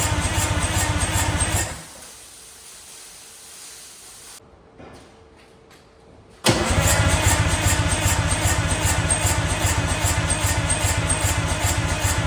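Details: Junkyard Detroit Diesel 6-71N two-stroke turning over: sharp, even pops about two or three a second, then a quiet gap; cause unknown, owner suspects a stuck valve or something open.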